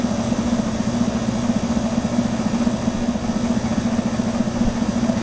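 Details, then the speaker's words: Emerson Quiet Kool 6300 BTU window air conditioner on low fan: a steady low hum with an uneven, chattering rumble underneath from a worn fan motor bearing. The rumble seems to stop on high fan; a new motor or bearing is needed. "hear that rumbling coming from the fan motor bearing hi rumbling seems to have stopped on high"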